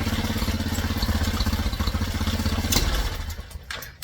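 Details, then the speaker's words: Tao Cheetah kids' 125 quad fitted with a PZ22 carb in place of the VM20. It putters at idle, then chokes, sputters and dies when snapped to wide open without a primer blip. The lean pilot circuit's 35 jet is too small, so it goes to a 40. "So, that tells us that the pilot jet is still just a little bit too small. So, we're going to bump it up from a 35 to a 40."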